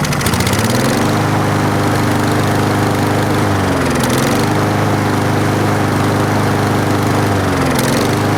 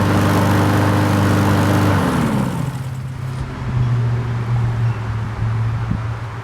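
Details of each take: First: 4-stroke lawn mower running while Sea Foam Spray is sprayed into the carburetor intake, air filter off: steady drone sags and drops in pitch twice, then recovers; bogging from the intake solvent spray. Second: 4-stroke carbureted lawn mower, hot-soaked after Sea Foam fuel treatment and intake spray cleaning, run briefly: the small single gives a steady, even drone, then shuts off and winds down; no stumbling or surging.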